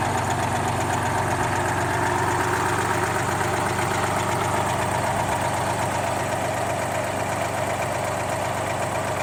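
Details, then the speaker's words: GMC New Look "Fishbowl" transit bus with GMC V6 diesel, first start in about a year and a half after hours of prep, at a museum: steady, even diesel idle chortling at about four beats a second, no knocks; normal idle. "and you can hear it chortling away in the background"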